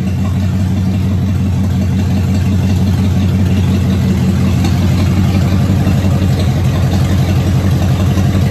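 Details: Car first run since 2019 after new fuel pump, cleaned tank, new starter: steady even note, smooth low rumble and light revs, no knocks or misfires; running properly.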